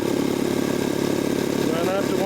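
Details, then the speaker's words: Jenny air compressor, 3 hp electric motor, K pump, in start-stop mode, starting at 100 psi and running to 125 psi. Steady motor and pump drone with quick even pulsing, no knocks or squeals; building pressure normally. "okay now what I'm going to demonstrate on this K pump is what a machine sounds like obviously in start stop operation okay and I'm going to turn this machine on we're already at 100 lb of pressure so it's going to run a short"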